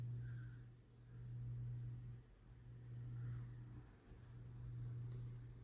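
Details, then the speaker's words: 1988-89 Lasko 9" desk fan model 2154 on low, oscillating, after the oscillation gearbox was modified: smooth hum swelling with each sweep, no catching. The motor is no longer straining. "The oscillation, it's very smooth, runs actually much smoother now, and the motor is not having a hard time battling against anything."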